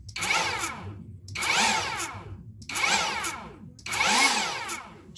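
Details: Chinese Makita cordless mini chainsaw that beeped without starting, after controller replacement: four short bursts of clean whine spinning up and down smoothly with no cutting out; motor now runs normally.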